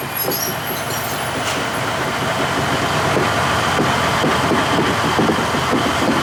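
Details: 1953 GE 80-ton long-frame diesel locomotive, last run 1998 by the Navy, just revived after contactor coil wiring work: steady heavy rumble, rail clatter about two per second while pulling; loads and moves normally. Air throttle has dead spots, likely loose wiring.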